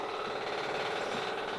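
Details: Boat inboard engine dock test after raw water pump rebuild and thrust bearing set screws torqued: steady even mid-pitched clatter with no misses, surges or knocks; running smoothly.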